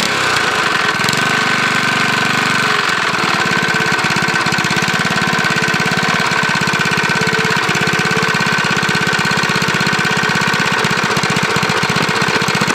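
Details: Briggs lawnmower engine with a JB Weld-epoxied connecting rod journal, running fast with no blade: light, regular knock under busy exhaust rattle; suspected mild rod knock, not confirmed.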